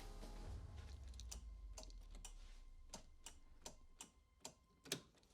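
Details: Toyota Supra Mk4 2JZ after a turbo replacement, cranking on the starter with injectors disconnected to prime oil pressure, in neutral: sharp single clicks about twice a second with no cranking after a low rumble fades; the booster seemed too weak, so a bigger one was fetched.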